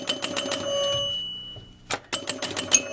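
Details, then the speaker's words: 1975 Bally electromechanical pinball machine after cleaning relay switches. Drop target scoring 500 points rings bright bell dings in quick succession, several per second. Chime unit scoring properly. "And you can hear it ding, ding, ding, ding, ding."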